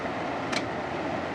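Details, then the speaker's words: Frigidaire air conditioner switched to high cool: only the steady rush of the fan, with no relay click and no compressor hum, because the compressor is not starting. "nope didn't hear anything yeah well because the uh say nothing you'd hear a click"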